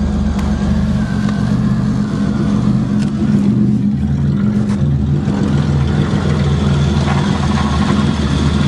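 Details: Cold March start, likely a Pontiac Grand Prix 3.1 engine: catches promptly and settles into a smooth, even low rumble with no misses or knocks; a healthy cold start and idle.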